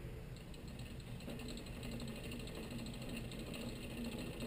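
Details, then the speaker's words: Bicycle rear derailleur with the H limit screw deliberately loosened so the pulley sits outboard of the cog: ticking chain drive with a low, dull rumble underneath. The rumble goes away when the cable is pulled slightly. "Okay do we hear the the rumbling there kind of a base sound that uh that's an extra noise"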